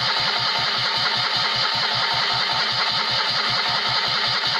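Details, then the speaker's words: Citroën 2CV flat-twin after rebuild with 652cc conversion and rejetted Solex twin-choke carb, no exhaust fitted: even cranking, about five pulses a second, never fires. Points are wet from washing the engine bay and the carb bowl is empty; ignition timing may be off. "we weren't getting a dead ignition that light was just staying on the all the time and it's because it's still wet in here from when I was walking down the engine bay so clearly a fair bit of water did manage to get in so I might have to just dress the points"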